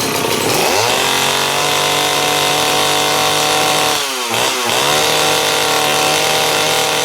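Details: STIHL 041 AV chainsaw, cold start, rarely used: screams at high revs, then stumbles and dips around four seconds before recovering; uneven running, owner suspects lack of use, not confirmed.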